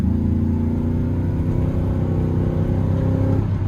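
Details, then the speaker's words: GMC 2500 HD V8 pickup after a coil pack swap: a deep, even rumble that pulls cleanly then backs off with no stumble, smooth throughout; both exhaust manifold gaskets are blown at the first cylinder. "ower all the way through the RPM band now it doesn't feel like vtec's kicking in anymore at like you know 4,000 to 6,000 it feels smooth all the way through"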